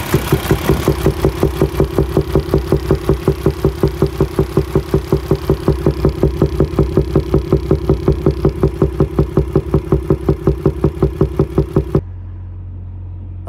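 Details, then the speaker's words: Paccar diesel truck built January 2019, within the late-2017 to August-2019 defective-cam range (E265 service bulletin); heavy, even knock about three times a second over idle until shutdown: wiped camshaft, going to dealer. "they were putting defective cams in these trucks and I have just Fallen victim to that issue uh yeah you'll hear it there that cam is toast um wiped out as they say"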